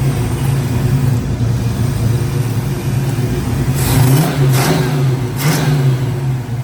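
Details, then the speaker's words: V8 running after a new Allstar Performance distributor was installed, before timing was set with a timing light; deep, steady rumble with smooth throttle blips and no stumble, sounding smoother and running properly. "Let me get the timing light out. That sounds smoother right there."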